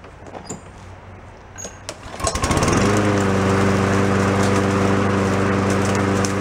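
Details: Free yard-sale lawn mower noted for an oil leak and suspected head gasket: after a few hollow pulls it catches and settles into a steady, even drone with no misses or knocks; running normally.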